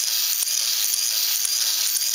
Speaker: quick what you're hearing is is the dry block actually engaging now this is friction free so it's just floating whenever it stops depending on where it stops